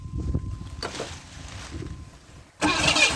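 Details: 1991 Camaro 3.1 L crank-no-start after replacing the corroded distributor ignition module and rotor: quiet stretch, then steady cranking that never catches into idle; only fires on starting fluid, so fuel pump pressure is checked next.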